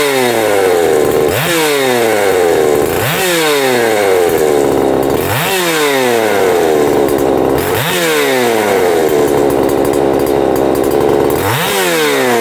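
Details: Husqvarna 262XP two-stroke chainsaw after its broken starter was swapped; the snarl rises sharply to full revs and drops back to idle every couple of seconds, picking up cleanly each time: normal running.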